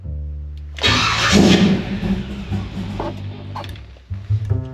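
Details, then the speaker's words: C10 longbed V8 with new PowerMaster 9400 starter replacing heat-soaked mini torque: brief crank, engine lights off almost at once and runs strong; Bendix engaging properly, flex plate teeth intact. "okay that lights off really [Music] fast [Music] down inspecting afterwards we still have all the teeth on the flex plate good signs it looked like it was coming in and out on the Bendix like it should I'm going to call that a success"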